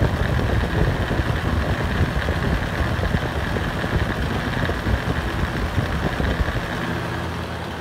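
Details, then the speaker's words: Rare Hurricane box fan running on high speed: a loud, steady rumbling roar with a coarse buzz and no clear rhythm. It vibrates heavily on both speeds and is much louder on high; excessive vibration noise, cause not found. "as you can tell it's definitely pretty noisy on high speed which is why I wouldn't even use it on highs speed to keep it"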